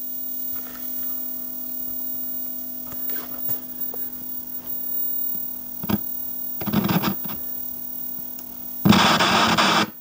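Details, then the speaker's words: 1977 Thorn 8800-chassis vintage TV, switched on after a new capacitor was fitted: a constant low mains hum from the isolation transformer, with crackly EHT rustle as the tube's high voltage comes up at power-up. "And I can hear EHT rustling. That humming noise you can hear in the background, that's the isolation transformer. For some reason, it doesn't seem to like this set."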